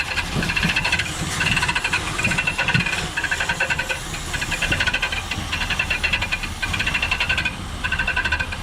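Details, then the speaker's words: 1967 Ford Galaxie 500, 289 Ford V8, first start before break-in: over rough running, a scraping squeal bursts about once a second, like something rotating rubbing; owner thinks the replaced crank/fan pulley is touching another pulley because of tight clearance. "Could you tell what that racket was? Couldn't tell exactly, but it sounds like resistance on something scrubbing."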